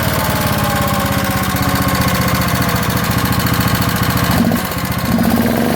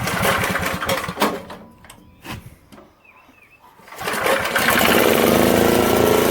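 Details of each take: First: 1972 Montgomery Ward single-cylinder generator made by Pincor, with good compression, running at steady speed: a sharp metallic tap on every turn rides over the exhaust. The engine is tapping, possibly from a worn rod bearing. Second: 1972 Montgomery Wards generator made by Pincor, after a rebuilt carb, new air filter and fuel line, and swapping parts to another coil; good compression: fires and holds a steady, even buzz at constant speed. Runs smoothly.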